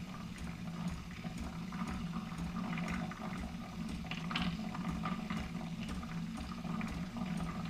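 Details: New Keurig Rivo R500 latte system, first-use priming of the frothing pitcher via latte froth button: quiet gurgling water and soft pump hum run steadily without stutter; normal frother priming.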